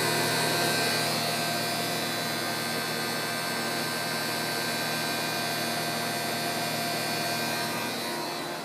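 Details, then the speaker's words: Lexus IS300h with A/C on Auto: steady hiss with faint rubbing whir, growing louder, present only while air conditioning runs and gone when A/C is switched off; no compressor sound heard, source not yet identified. "那在关 AC 的情况下，也是有一样的声音。关掉 AC 以后就没有这个声音了。那开 AC 的时候是有这个声音。"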